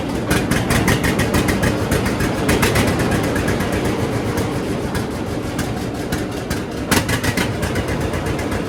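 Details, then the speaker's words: John Deere D two-cylinder tractor with new Autolite plugs, before regapping to 0.030 in: lumpy idle with uneven, skipping beats and occasional stumbles; tight-gapped plugs causing misfire at idle. "So you can see there how it kind of ran. Not perfect, but the the D's are never known to run good or perfect at idle."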